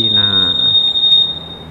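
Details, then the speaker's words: Honda Scoopy 2021 smart-key scooter: piercing, steady high-pitched anti-theft alarm tone set off by moving it, silenced temporarily by pressing a button. "oke caranya kalau ini yang dipencet di atas ini dia akan mati sementara istilahnya mematikan untuk suara yang berdering itu tadi guys"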